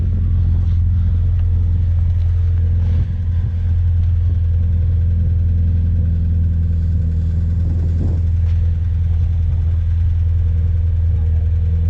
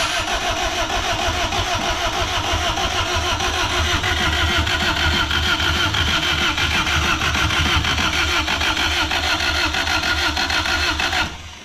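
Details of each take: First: Honda D16Z6 just rebuilt after bad rings and heavy smoking: deep, even rumble holding steady with no knocks, misses or hunting and no smoke; healthy idle. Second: Freshly rebuilt Honda D16Z6 (bad rings, smoking) on first start attempts: starter cranks evenly about three beats a second for eleven seconds without catching; getting fuel and air but no spark.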